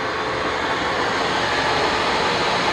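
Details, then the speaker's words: Webb Whacheon lathe on its first test run at top spindle speed: steady, even loud rush of noise with no knocks or rhythm; headstock running noisy at high rpm, oil level present, cause not pinned down. "you can hear it quite a bit at the high rpm but I still have to check the oil"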